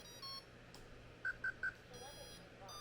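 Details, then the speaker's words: RC submarine pump motor that ran fine the day before: faint hum for a couple of seconds, then three quick high beeps as everything resets; owner suspects a component drawing too much current and resetting the receiver. "runs for a couple of seconds, and then everything resets. I didn't do anything to this since yesterday. I'm just testing it. Nothing's changed. So, it feels like maybe one of these components is drawing too much current and resetting the receiver,"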